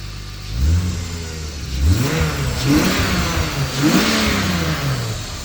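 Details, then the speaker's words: Turbocharged S52-powered BMW E30 with a relocated wastegate on the turbo manifold, finished and ready: crisp throttle blips, pitch climbing and falling cleanly with no misses or rattles; normal, healthy revving. "this thing is ready to rip we're gonna let you guys hear it give you a few revs might do a little burnout"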